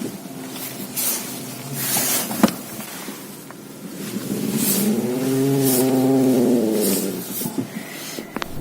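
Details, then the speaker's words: Audi A6/A4 or VW Passat, stationary, steering wheel turned: low bending creak and scattered crackles from worn large front lower control arm bushings, much more noticeable inside the cabin than outside; bushings need replacing. "hear that crackling noise when turning the steering wheel. What's interesting is that it's much more noticeable inside the cabin. Outside the car, it's not as clear, but from inside, these bushings make a very distinct noise."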